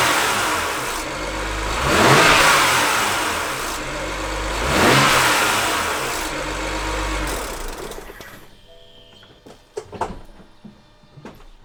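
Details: BMW N54 coming off throttle, also in gear, only when not injecting fuel: revs rise and fall, metallic rattle on deceleration from top of engine, turbo side near wastegate solenoids (not the solenoids); wastegate rattle.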